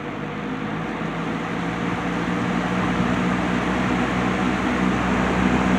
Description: I just swapped motors with another box fan to get this going again, runs just fine now and will be in use through out the summer season.